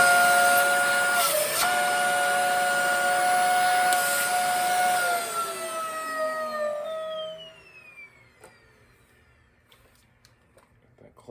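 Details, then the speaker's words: Dyson DC40 vacuum run before service, full of hair: steady high squealing whistle over the motor roar, then a falling tone as it spins down. The squeal is most likely caused by a clogged, filthy filter starving the airflow. "That squeal does not sound good. So, okay, so let's see what all we got going on here. This is most likely the culprit to it. It's this filter right here."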